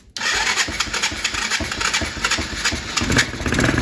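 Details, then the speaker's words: Kids' Chinese ATV, restarted after fuel was wiped up: it catches and keeps revving high and ragged with no settle to idle. The runaway idle comes from the carburetor, which leaks at a gasket. "there it is oh shoot it's running away I don't see High huh something is up with that carb I'm going to check that out real quick D I see where it's leaking from sorry for the camera I see where it's leaking from it's this gasket right here"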